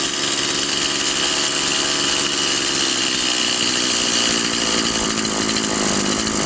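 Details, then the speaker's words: Stihl MS 180/170 chainsaw (non-adjustable carburetor) after the needle lever was adjusted to add fuel: power good but idle too high, a fast buzzy two-stroke idle that drops slightly in pitch as the idle screw is turned down. "мощность хорошая но как мы видим слишком много холостого хода спят моего киснут и так важно что небольшой"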